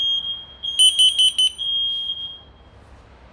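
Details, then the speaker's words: New smoke detector alarming during old-vs-new test; shrill high tone, four quick evenly spaced beeps, steady tone again; old detector placed at far end still sounding; working properly. "bu da böyle ötüyor değişik güzel operasyon başarılı şimdi değerli arkadaşlar operasyon başarılı Şimdi bu yeni aldığımız dedektörlü bund da böyle ötüyor"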